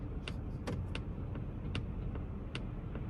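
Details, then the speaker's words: 2021 Polestar 2 (called a plug-in hybrid) while driving, after an HV battery overheated warning: sharp irregular ticks or pops, roughly one every half second, sound over quiet road hum. It sounds more like popping than ticking, and the source is unknown. "man that ticking sound is annoying"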